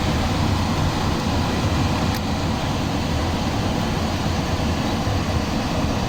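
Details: Newly replaced single-phase blower motor in a chilled-water FCU, wired with capacitor: steady, even low hum and airflow rush, no knocks, rubbing or surging; drawing about 4 A against 8.4 A rated; running smoothly.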